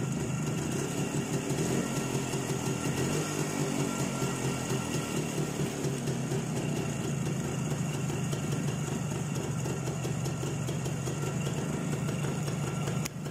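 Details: ČZ 175/450 two-stroke motorcycle, first real start after fitting a Vape 6V contactless ignition (SZ14): steady, even idle with a light buzzy beat, no misses, knocks or hunting; engine running cleanly.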